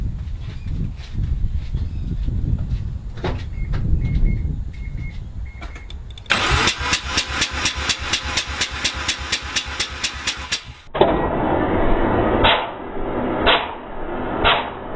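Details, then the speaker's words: Mazda RX-7 FD3S rotary compression test on the first (front) rotor after suspected missing spark, plugs swapped: about five to six cranking beats a second, soft and weak; front rotor lacks compression. "all right well that's a bit of a because that means my front front roto doesn't have compression"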